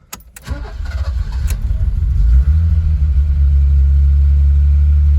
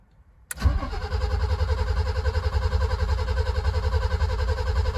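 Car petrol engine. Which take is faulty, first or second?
second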